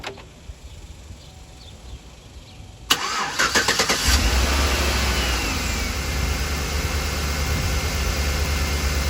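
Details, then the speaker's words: 2011 Chevrolet Suburban just after alternator replacement, weak battery at 12.56V: starter cranks briefly, engine catches and settles into busy idle with extra whirring and clatter, "crazy noises"; AC may have switched on, source unconfirmed. "Okay, it started with crazy noises."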